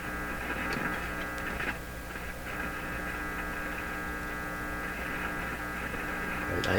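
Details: General Electric C600 tube radio powered up at about 120 V before its old capacitors are replaced: a steady low hum, with slight crackling and no station reception; the hum changes with the volume control.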